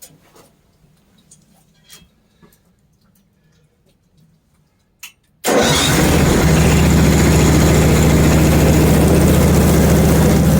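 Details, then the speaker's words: Hud-Son HFE30 sawmill after guide shoe adjustment and blade pitch cleaning, previously making a ching-ching noise: engine catches after a quiet pause and settles into a steady, even run with no ringing or chinging; sounds 100% better. "residue all right I'm ready to cool and heavy you're out quieted right now not making any noise at all shoes being out of adjustment blade having pitch on it what was making all that ret that sounds 100% better"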